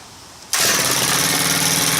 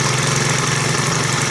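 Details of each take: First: Stihl KM130 4-Mix engine after valve adjustment, restarted warm after 5-10 minute cooldown with pole saw attachment, no fast idle: fires at once, screams at high revs, then pitch sags and wanders; running off-tune, low seems good, high suspected too tight. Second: Stihl KM130 4-mix engine after valve adjustment, test run: holds a steady, even buzz with no misses or surging; runs smoothly and healthy.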